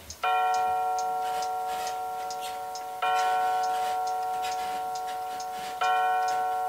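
Clear bell-like chime tones strike about every three seconds and ring out evenly; the quartz chime movement plays normally.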